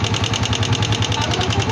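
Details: Motorcycle engine idling: fast, even metallic ticking about eight times a second from the top end, a broken pushrod clattering; lack of oil was suspected.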